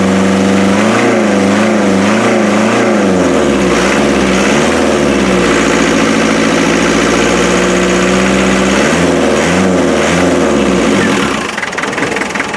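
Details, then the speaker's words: 1991 Land Rover 90 ex-military with 2.5 naturally aspirated diesel, previously non-running; runs with an uneven, lumpy beat and wavering pitch, one cylinder seemingly not pulling, drop test suggests a weak injector, number three cylinder suspected; uneven running. "like that injectors a bit weak I think I'll have to run it for a while"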